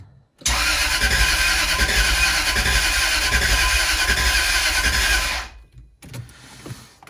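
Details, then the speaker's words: Jaguar S-Type V8 with new engine and new plugs, fuel primed and cylinders fogged with WD-40: steady starter cranking about three and a half beats a second for five seconds, never catches; crank position sensor connectors swapped, starts after correcting them. "let's see okay that was a fuel pump definitely all right let's crank it over nothing trying again"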